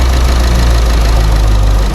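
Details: Chevrolet Sonic small turbo engine, P0300 and reduced-power warning: loud, uneven shaking idle with irregular stumbles; bent, impact-damaged oxygen sensor found, and a suspected air intake noise is heard; misfire.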